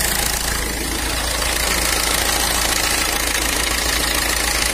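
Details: Ford Fiesta with code P0652-60 and a starting problem traced to crank pulley and sensor signal. Started after the timing belt cover was refitted; steady, even idle with a constant hum and no stumbling.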